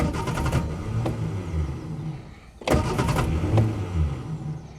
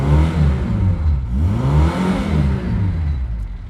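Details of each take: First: Reliant Fox that ran out of fuel, cranked after a top-up: two cranking bursts with low, irregular coughs that never build into a run; the owner finds coughing without fuel odd. Out of fuel, cranking with coughs. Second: Reliant Fox engine revving on a test drive with the thermostat removed and coolant flowing through the radiator; pulls up and drops back smoothly with a crisp, rorty, even note and no knocks or misses. Normal revving.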